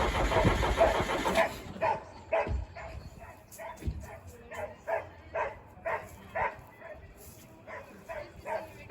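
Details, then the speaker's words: Case 310F bulldozer with 188D diesel, possibly straight-piped, cranking slowly at about two turns a second without firing. Air in the fuel lines is suspected and fuel delivery to the injection pump is being checked; not confirmed. "I don't know, again, if this is straight piped, which is pretty loud, so that may be part of it. But again, I don't know if we have a situation where like we still have air in the fuel lines, but we'll bring it around to the other side."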